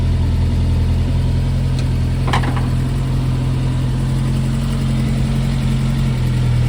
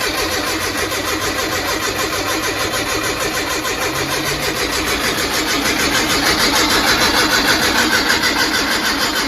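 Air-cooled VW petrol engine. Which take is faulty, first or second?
second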